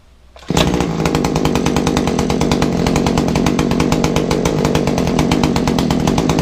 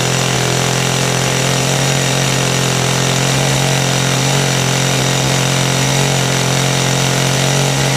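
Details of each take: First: Kawasaki two-stroke hedge trimmer, just primed and started: harsh buzz at one speed with a coarse clatter over every firing pulse, heavy smoke, poor pickup; rattle from the gear head suspected, muffler to be checked first. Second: Kawasaki two-stroke hedge trimmer after repair, started on choke: loud steady high-rev buzz without stumbling or surging; carburettor has no high/low adjustment screws; normal running.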